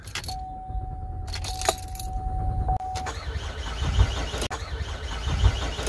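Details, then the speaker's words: Car that won't start after refueling and has its check engine light on: a door chime, then several seconds of steady cranking that never catches. It starts on a second try with the gas pedal held nearly down; a faulty EVAP purge valve is blamed. "you hear it continued to crank over but it would not start sometimes it will start"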